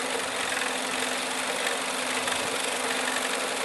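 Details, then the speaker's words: PS3 Slim CECH-2002x 120GB Blu-ray drive that won't read, load or eject discs: steady hissy whirring with a faint low hum, with foreign objects lodged inside the drive mechanism causing the noise. "the only problem is over here and if you can hear it happy it's Google Drive is making all this noise"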